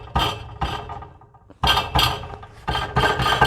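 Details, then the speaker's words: Nissan 350Z with an aftermarket Y-pipe, tapping the exhaust under the car: tinny metallic rattle that rings on briefly from a loose baffle inside the pipe, the main rattle, later removed by deleting the baffle. "um yeah I I got to fix at least uh this is the main rattle that's got to get gone cuz that one is humongous"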